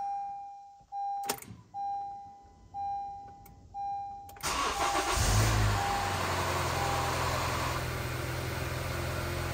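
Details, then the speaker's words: 2014 Honda CR-V first start after timing chain and VTC actuator replacement: chime beeps, then a short crank that catches cleanly and settles into a steady, even idle with no rattle. "Sounded like a normal oil change to me."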